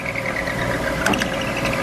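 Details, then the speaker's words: Milling machine cutting a corner: steady high pulsing singing tone of end mill chatter, which stops when the spindle is switched off and coasts down. "I wants to chatter but when I turn the spindle off and it coasts down it stops the chatter"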